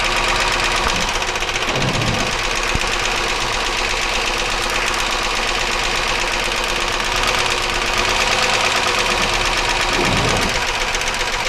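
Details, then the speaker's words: 1999 Chevy Malibu 3100 V6 at idle: steady rapid internal knock ~4/s, unchanged as each cylinder's plug wire is pulled (only slows from misfire), so not cylinder-specific; cause unconfirmed. "you notice the sound gets a little slower because of the misfire that we're causing but the actual sound doesn't change"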